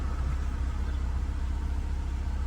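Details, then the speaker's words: 2012 Scion tC 2.5L at about 98,904 miles, cold start, after fixing low idle while braking: even, low rumble holds steady near 1000 rpm with brake pressed; idle expected to drop slightly once warm. "you see the idle didn't change stayed almost almost a thousand because it is a cold start so it is going to go down a little bit once it warms up but see I'm pushing on the brake it's nothing so it is fixed"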